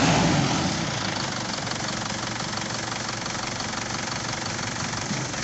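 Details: Isuzu D-Max 4JH1-TC diesel with VP44 injection pump, stalling at idle: clattering idle at about four beats per second that sags and struggles to stay running; unstable idle.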